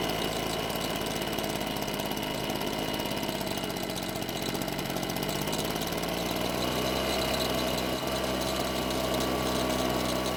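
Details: Husqvarna backpack blower two-stroke after long storage, running after repair with replaced throttle cable retainer and air filter, carb checked for leaks; steady even idle, no stumbling, surging or misses; normal idle.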